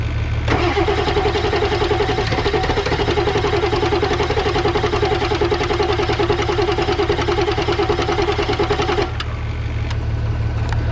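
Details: Ford 7.3 Powerstroke diesel after turbo rebuild, new injectors, valve covers, glow plugs and wiring; starter cranks at about three and a half beats per second for eight seconds with ether but never catches; crank no-start, cause not confirmed.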